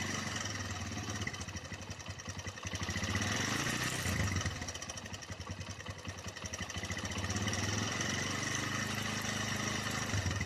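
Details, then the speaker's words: Honda GL Neotech motorcycle, owner complained of rough engine sound: busy metallic rattle over the single-cylinder beat that grows louder when throttle is blipped, quieter at low revs; cam chain rattle, chain later replaced. "Tapi ketika kita gas suara semakin gede"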